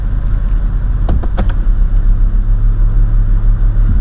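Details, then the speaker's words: Jeep Cherokee XJ 4.0 after a throttle body adjustment fixing high idle, idling in gear: low, steady rumble that holds without dipping, choking or stalling, with a few background clicks. Healthy idle in gear. "it's not hurting anything it's not choking it's not cutting off I can't move it's no problem"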